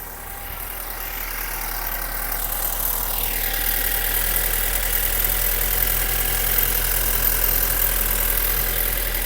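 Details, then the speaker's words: 2012 BMW 528i F10 with N20 engine, about 120K miles, running Liqui Moly oil, at idle: even idle with light regular ticking about four per second, no chain slap or rattle. Chain feels tight when pushed; a BMW technician called the timing chain noise normal. "so I was told by a BMW technician in South Florida at Miami I was told this is normal"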